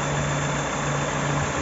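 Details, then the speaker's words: Unmodified Peugeot Partner 1.6 16v TU5JP4 110 hp petrol engine run on 100% E85 for 70,000 km: even idle with a steady low hum; the faint thin whistle comes from the clutch or gearbox, engine runs correctly. "voilà après le moteur tourne correctement"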